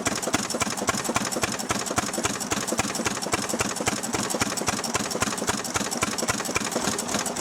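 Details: Restored 6 hp Fairbanks Morse Model Z stationary engine running on kerosene, driving a buzzsaw cutting firewood: sharp, evenly spaced firing beats near four a second, steady rhythm; normal, healthy running under load.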